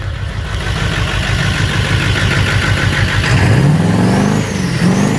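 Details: 2001 7.3L diesel with 330k miles: clatter with an uneven, lumpy beat that persists as revs climb; a cylinder is misfiring, cause not pinned down.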